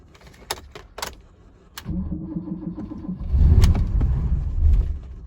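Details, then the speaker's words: Barn-find BMW 635 CSi with a very low battery: key clicks, a weird noise, then it starts, runs roughly for a couple of seconds and stalls. Fuel pressure or the battery is suspected. "that's some really weird noise heck she okay so it starts and stops"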